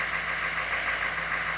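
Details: Banks Sidewinder 6.2 turbo diesel at about 74°F after a glow plug swap and downpipe wrap; factory glow timer, afterglow pulling hard, starts with no double cycle and no smoke; faint steady idle under an even hiss, no misfire, healthy.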